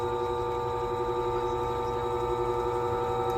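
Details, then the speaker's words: Silca Speed 045 key machine cutting a Ford key, wheel lowered toward the blank under constant hand pressure: steady motor hum with a faint slight buzz on top as the wheel just touches; normal light cutting contact. "As you can see, the cutting wheel is getting closer and closer. And just listen for the slight buzz."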